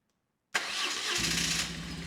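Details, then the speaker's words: BMW R1150RS, severely overheated and crank-no-start, now with new Hall effect sensor at baseline (untimed), new spark plugs, cleaned air filter and new alternator belt: a brief crank, then the twin fires at once and idles steadily. Normal start and idle. "Let's see if it runs. So my guess, it'll fire right up."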